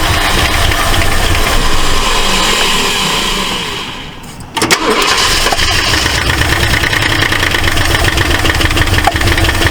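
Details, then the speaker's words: 1968 Ford LTD, abandoned, with 12 V now run straight from the battery to the coil: the engine catches and runs lumpy and uneven, ticking and popping back through the carburetor; a stuck valve is suspected, not confirmed. "it's popping back pretty good sounds like it might have a uh a stuck valve I don't want to run it too much um way it's ticking"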